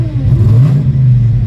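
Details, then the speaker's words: V8 project car on E85 after fitting a new throttle body: throttle warning lightning bolt gone, and the engine that wouldn't idle before now rumbles deep and steady, picking up cleanly on a throttle blip; normal idle and revving. "So I would get that lightning bolt each time, and that's not there anymore, man. And it's idling. It wouldn't idle before."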